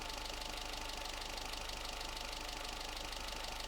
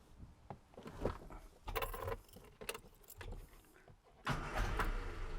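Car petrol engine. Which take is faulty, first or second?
second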